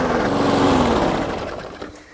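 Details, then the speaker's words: Toro Super Recycler mower, baseline run before draining old gas and Seafoam treatment, runs rough with suspected dirty carburetor: engine speed swings up and down, pushing the mower barely changes it; surging, hunting. "A lot up and down, a lot of surging. She wants to run, but she ain't running right."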